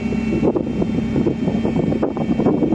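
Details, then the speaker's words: Commer van with Saab 2.3 turbo engine, on the road about 1.5–2 years, replacement electric fuel pump: thin steady high whine over rough engine and wind noise, unchanging pitch; horrendous fuel pump whine, the reason for the work. "the reason I'm doing some work to it is that horrendous wine it is the fuel pump"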